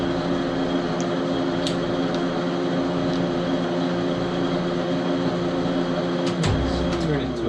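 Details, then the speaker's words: 12x37 Dar Sin gap-bed lathe; the lead screw is partly deformed. The power cross feed runs at fast speed with a steady motor hum and even gear whine, no clicking or stalling: normal. "okay let's uh apply some power to the machine power on chog it okay that's good so let's see how the cross feed works let's turn it"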